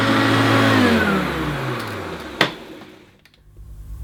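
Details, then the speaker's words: Oldish Hoover U2716 Turbopower Boost bagged upright vacuum: even hum, then switch clicks off and it spins down smoothly with no grinding or rattling; motor sounds sweet and relatively quiet, normal running. "I think that motor does sound pretty sweet and relatively quiet"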